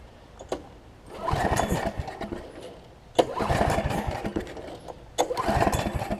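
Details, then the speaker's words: Snapper 28-inch rear engine rider mower, blades off, in neutral, ran moments earlier, smoked a little on first try: three short crank bursts about two seconds apart, never firing; no-start, owner about to check the spark plug. "it's kind of puzzling now cuz I want to start it and it doesn't want to do this thing"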